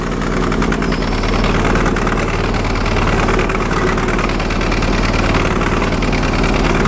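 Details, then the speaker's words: Sears Suburban loader with a 20 hp Briggs & Stratton Vanguard V-twin, smoking while limping back after plowing snow and low on fuel: an uneven, lumpy idle running on one cylinder, then catching on two, then a backfire; fire and aluminum shards were later seen. "Definitely running on one cylinder. Oh, now caught on two. Oh, backfire."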